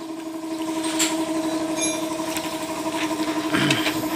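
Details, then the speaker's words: Honda TMX155 motorcycle single-cylinder at idle: sharp rhythmic knock about four per second over the idle drone. Noise persisted after timing gear replacement; the mechanic diagnoses a badly worn connecting rod. "boss connecting rod connecting rod na to connecting rod connecting rod na to boss kay yan oh Malala na yung connecting rod niya"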